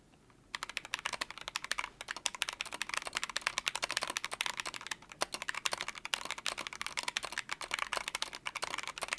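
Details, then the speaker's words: Akko ACR59 HHKB-layout keyboard with stock Jelly Pink switches: fast, crisp typing with a duller, looser clack on some strokes from the stock spacebar rattling. "stock the switches sound good the space bar however exhibits a rattle have a listen for yourself"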